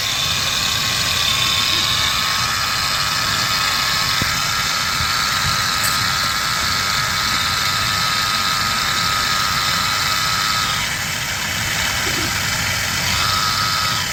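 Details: Ford F-150 5.0 L at idle: a harsh, gritty hiss sits high over the engine note, unchanged throughout; a grinding noise from the engine area.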